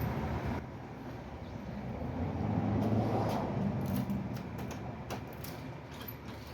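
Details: 1993 Ford Bronco after replacing a seized smog (air) pump that made the belt squeal badly, with the serpentine belt rerouted clear of the tensioner: steady, even engine note swells with a short rev and settles to smooth idle, no knock; running normally.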